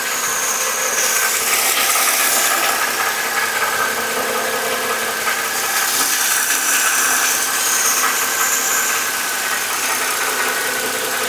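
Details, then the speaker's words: Mercedes M272 at hot idle after a flush and oil change to 5W-50 (Mann filter): light, fast, uneven valvetrain tick; the knock is still there, perhaps lower pitched or slightly quieter, so thicker oil did not cure it. "As you saw in the last clip, the knock is still audibly there. However, it might be at a lower pitch, it might be a little bit quieter."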